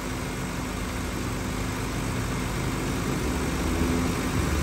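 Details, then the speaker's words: Car A/C after adding about a quarter more refrigerant, in fresh-air mode with windows open under maximum load: the compressor hums steadily at idle without cycling off, with 21 PSI on the low side and the high side dropping from 209 PSI. "now can you hear that the compressor is not kicking out but look it we're still at 21 PSI on the low"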